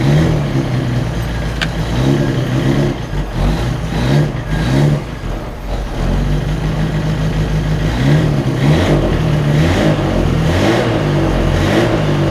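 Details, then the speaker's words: Autobianchi A112 Abarth race-spec 1050cc four, converted from chain to cambelt kit, first start in years on choke: eager, lumpy idle with light blips and faint mechanical rattle, no knocking; good oil pressure, running healthy. "It's funny because it sounds like mine, just with a different kind of rattly sound. Still that sound, but not the... It sounds a little better, which is not a surprise. And it sounds really eager."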